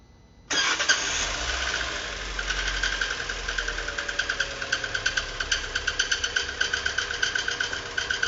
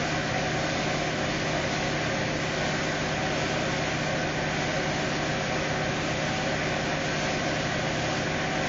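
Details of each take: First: Fiat Uno 2018 Evo engine started and idling: sharp regular ticking knock about four per second builds over running engine, abnormal noise prompting engine teardown; source unclear. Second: 2018 Fiat Uno Evo Fire engine idling after repair, gasket previously installed reversed; steady even hum with no knocks, ticks or rattles; smooth and healthy.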